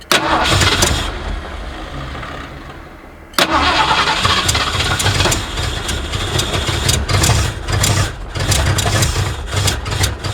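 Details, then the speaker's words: 1979 Ford F150 with modified 351 V8, long abandoned, restart attempt: after cranking it catches, then lopes unevenly with missing beats and surging, not firing on all cylinders, clears briefly and shuts off; smoky rough misfire, owner suspects a clogged carburetor. "Not letting, it doesn't sound like, it's definitely not running on all the cylinders all the time. But then it kind of clears up and does for a couple seconds, then it shuts off."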